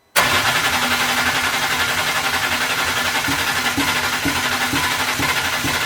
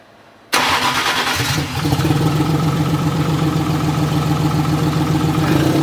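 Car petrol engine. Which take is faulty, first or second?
second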